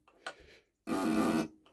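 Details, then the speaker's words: Mercedes OM603 injector on a hand-lever pop tester, firm lever resistance, needle in better condition than the OM606 ones: short, crisp, even buzzing burst about half a second; healthy injector chattering properly. "Vous voyez, là, vous vous rendez compte d'un injecteur qui est quasiment correct par rapport à ceux du 606."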